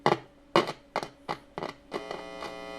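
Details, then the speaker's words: Thin solid-state practice guitar amp, volume at 3, input jack missing washer: hum and crackle cut in and out about twice a second as the jack is wiggled, then steady; worn, knackered input jack. "There's a little bit of sound coming through. I mean, a little bit. And if I, wiggle this around or whatever,"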